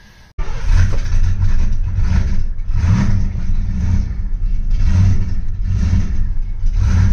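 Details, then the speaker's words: V8 Mustang's first start after winter storage, with new spark plugs and good oil pressure: it catches and revs, then the idle surges and sags about once a second and it stalls. "gonna take a second to learn how to idle and she dies"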